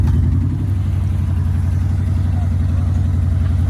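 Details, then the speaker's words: 1972 Chevy 4x4 Holmes wrecker, first time moving after sitting 10+ years in a field, crawling out in four-wheel-drive low range: steady, even V8 rumble with no knocks or ticks. Normal running. "There it is. Sounds pretty good. First time rolling out."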